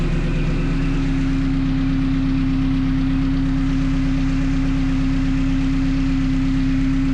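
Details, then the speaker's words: 1974 Alfa Romeo GTV fitted with a Honda S2000 engine and 6-speed transmission, first start after sensor checks and e-throttle calibration; after idle setting adjustments it settles into a smooth, even idle at about 900 rpm with no misses or hunting. Normal idle. "So, I do keep adjusting the idle settings and do get it to idle right at about 900 rpm, which is great."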